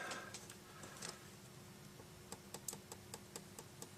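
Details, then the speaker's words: Gemstik joystick dome switch just re-stuck onto the PCB with a single piece of sellotape: crisp, evenly spaced clicks on each press. It is now clicking properly where it wasn't before. "That's actually clicking where it wasn't before. So that's that button done."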